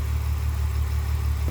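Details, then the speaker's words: BMW E46 with M52 engine at idle, heard at the exhaust: a deep thrum with an uneven, lumpy pulse. Cylinders 3 and 4 are misfiring badly, caused by unmetered air leaking past the intake boot behind the MAF sensor. It runs better with throttle. "Но трети и четвърти са много зле. Няма да се оправи. Тя сега работи неравномерно."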